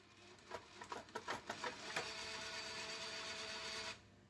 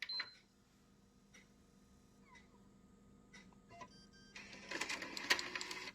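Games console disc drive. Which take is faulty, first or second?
first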